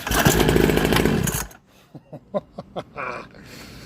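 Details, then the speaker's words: $250 Temu two-stroke mini dirt bike, first start with fresh fuel, no kill switch; buzzy high-pitched revving evenly about a second and a half then cutting out, like a weed eater. Normal running. "Oh, it fired. Was like a normal weed eater."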